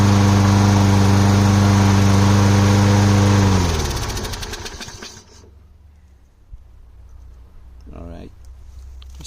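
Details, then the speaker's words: Small engine after carb leak fix with gasket and air filter housing refitted: steady even beat with no misses or stumbling, winds down cleanly at shutoff, no fuel leaking; normal running. "working good. I don't see any gas leaking."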